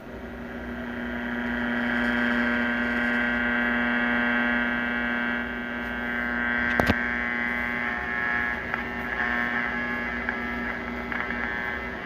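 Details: 1941 Crosley 52TA AM tube radio after partial re-cap and dial needle fix; steady low buzz with no change in pitch or level under everything, mains hum picked up from nearby lighting.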